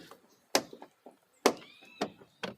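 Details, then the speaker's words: VW Polo car door opening: loud, sharp clacks from the door check strap, which is very loose because one of its bolts, the upper one, is missing. "tá faltando um parafuso tá vendo que ele faz esse barulho aqui ó tá bem folgado"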